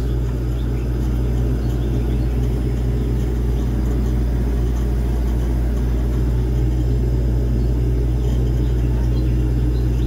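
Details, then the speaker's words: Display fridge that would not turn on or cool, fixed after the faulty manual cold control was found: steady even low hum with a smooth pulse, no knocks or rattles; compressor running normally, lines sweating cold. "trabajando en perfecta condición ya aquí le dimos solución el problema como pudieron ver era el control de frío ya está trabajando en óptimas condiciones"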